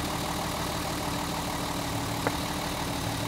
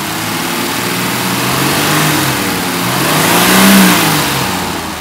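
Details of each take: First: Mercedes 280 SE at idle after storage, running rough and misfiring. Pulling cylinder two's plug lead gives no RPM drop, so that cylinder is dead. The cause could be the spark plug, plug lead, low compression or a fuel injector. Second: Mercedes 280 SE six-cylinder petrol engine revving and settling smoothly after one bad spark plug was replaced, fixing a post-winter-storage misfire; even note with no stumble or miss.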